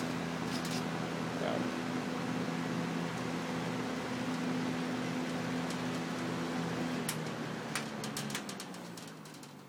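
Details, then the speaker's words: 1960s General Electric reversible box fan: steady motor hum then slowly drops in pitch and fades as the fan coasts down smoothly without grinding; normal fan coast-down. "Pretty good wind down on it."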